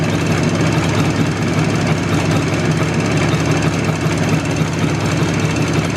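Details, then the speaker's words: IZh Jupiter two-stroke twin with Kent pistons in cylinders bored to 0.2 mm clearance, fairly well warmed up: rapid hard knocking at idle that persists warm but disappears under load, unlike typical ring; loose piston fit suspected. "кстати звук этот в отличие от типичного звона который звонит именно под нагрузкой этот звук наоборот под нагрузкой пропадает"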